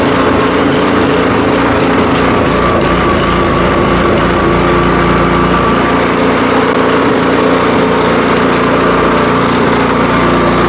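Even, high-pitched small-engine buzz that holds a steady speed with no hunting or popping, so it's running clean.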